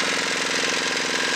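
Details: Dongfeng single-cylinder diesel engine after repair for excessive oil consumption: fast, even, sharp chugging beat with steady pulses and no misses or stumbles; running cleanly and healthy.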